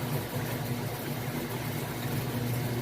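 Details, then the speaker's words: Used Amana washer (Whirlpool-built, electric) on extra large load in agitate mode: steady low motor hum with water churning, no knocks or grinding; normal agitation. "a great job with the agitation."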